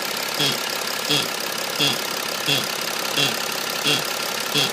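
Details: BMW E90 330d diesel at idle: sharp high chirp with a dull thump about 88 times a minute over quiet idle; intermittent noise comes and goes, not related to engine speed; cause unknown.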